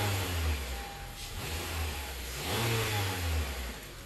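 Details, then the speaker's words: 2017 Honda Accord with whining noise at startup and on acceleration; with the accessory belt released the engine blips cleanly with no whine, placing the noise in the belt-driven pulleys. "start the engine again and let's hear it all right so I'm gonna start the engine on come on and as you can see the noise is gone"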